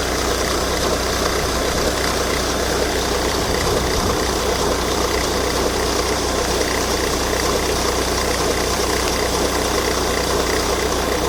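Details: Volvo V70 D5 diesel at idle with a strange noise from the auxiliary belt drive. A loose, uneven knocking about once a second sits under the diesel clatter; source suspected in the belt drive, not confirmed.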